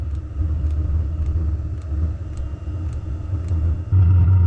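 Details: Diesel heater with compressed air injected into the fuel line for atomization, at a very minimal airflow, just after ignition: steady low combustion roar with a light tick about twice a second. Burner lit and running evenly; normal operation.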